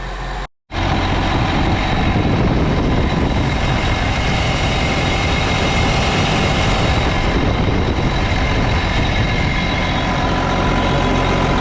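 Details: Case 305 tractor at idle after replacing exhaust manifold gaskets: steady even idle with a low rumble, no ticking or puffing from the manifold; normal idle, sealed.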